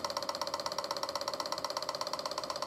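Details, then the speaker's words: Suzuki 1100G motorcycle, carbs gummed from long storage, after removing carbs and clearing idle jets, ignition on with priming button: fast even ticking about fourteen clicks a second as the electric fuel pump primes and fills the carbs; normal. "I got one click out of the fuel pump and get multiple clicks out of it and it's filling the carbs"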